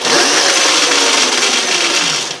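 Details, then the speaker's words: Yamaha WR250E electric conversion, EBMX X-9000 V2 controller, 84 V battery, initial setup; free-spinning wheel's high motor whine drops quickly when regen is applied after a throttle blip: regenerative braking slowing the wheel normally. "Okay, there's no regen. Now I'm going to give it some regen after I blip it."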